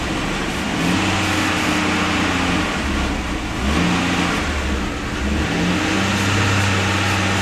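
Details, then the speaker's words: AMC Eagle 258 inline six after TFI ignition upgrade running without the computer, carbureted: even engine note at raised idle with gentle speed rises and falls, no misfire or stumble; all cylinders firing. "there it sounds like I'm running all cylinders see there's a high idle"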